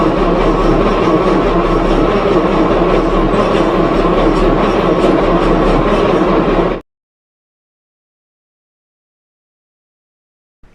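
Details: 1937 Talbot saloon, 3.2-litre six-cylinder, laid up since the mid-1970s; fresh oil, ignition checked and repaired, fuel system temporarily bypassed with fuel added. Steady fast rhythmic starter churning, about four beats a second, never catching, then cut off: cranks but no start.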